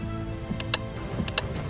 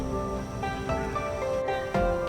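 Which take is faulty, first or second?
first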